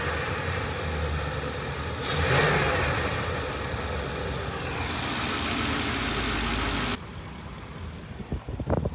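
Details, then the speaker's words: Old Ford van (5.4 or 4.6 V8) after the bent part was replaced with a new one and the transmission reinstalled. Engine catches cleanly, blips up smoothly and settles into a steady, even run with no grinding; normal start and run. "Normally, it's uh working great. Shit's good."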